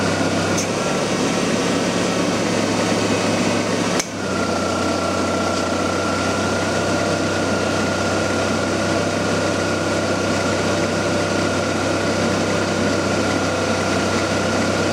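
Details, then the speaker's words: 1994 Ford Ranger A/C being charged with R134a, engine running: steady compressor hum with faint whine and one early click, then no on-off cycling; enough refrigerant pressure now holds the low-pressure switch and clutch engaged. "15 you notice you don't hear the you don't hear the clutch cycling off and on now so it's got enough pressure inside to keep the uh switch made over down the low pressure side"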